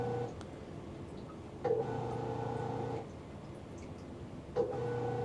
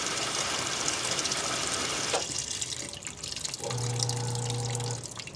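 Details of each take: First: Magic Chef 1.7 portable washer after five years of regular use, lightly loaded: quiet electrical hum starts, stops and restarts as water fills, but the drum never turns; the motor won't spin, washer broken. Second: Magic Chef 1.7 portable washer after five years of use, lightly loaded: steady rushing hiss of water filling without sputter, then brief low hum; fill normal, though the drum later fails to spin.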